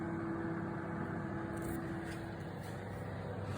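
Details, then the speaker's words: Siemens microwave heating water on the 360 setting: loud, rough, steady hum with a coarse buzz, and it intermittently switches off though it still heats; owner suspects magnetron or capacitor, not confirmed. "так так микроволновка с почему-то издаёт такие звуки страшные не постоянно отключается может кто знает что это такое"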